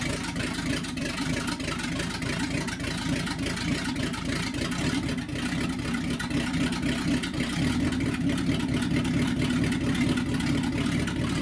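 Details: 1964 Chevy C10 pickup with a freshly built small-block Chevy V8 at first start: a deep, throaty, even burble with revs rising and settling smoothly, no knocks or misses; healthy.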